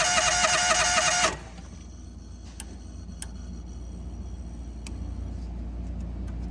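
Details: National 5625 LP unit, intermittent no-start, seat switch bypassed, new oil pressure switch, no constant 12V at fuel lock in run; owner suspects sticking solenoid: brief burst of running for about a second then dies; fires then dies.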